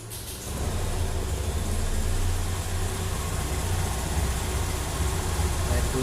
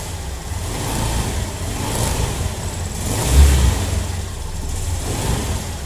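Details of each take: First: Honda Beat Deluxe scooter at idle: a low steady thrum with an uneven rustling crackle from the CVT belt housing, which is judged to need lubrication. CVT crackling noise; cause suspected, not confirmed. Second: Honda Beat scooter CVT after disassembly and reassembly; it had previously made a scratchy "srak srak" noise. A smooth low drone swells evenly with throttle and falls back, with no scraping or rattling from the belt drive; normal CVT revving.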